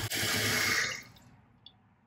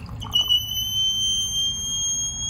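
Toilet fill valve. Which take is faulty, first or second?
second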